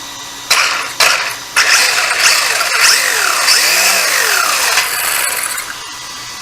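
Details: RC desert truck (WL 12428) with twin hammer rear axle fitted: electric motor whirs in short throttle bursts and gear noise rises and falls without clatter; driveline runs, though the driveshaft is noted to jump around and its angle needs adjusting.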